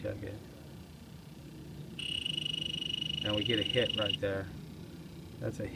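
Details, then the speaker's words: 2010 Trane/American Standard package heat pump, system not keeping up: leak detector gives steady shrill tone with fast ticking at service port where a plastic cap was fitted; refrigerant leak at service valve core. "pretty solid hit right there pretty solid hit right there and like I said being there the first time at this property here I had plastic caps on which is kind of a no-no with our company"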